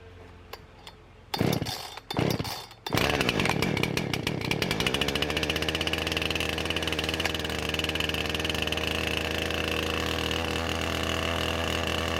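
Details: Husqvarna 455 Rancher chainsaw, 4 hours total runtime, ran rough after warm-up; new ignition coil fitted: after a few pulls it catches and holds a steady, even two-stroke drone with no stumbling or cutting out; runs healthy.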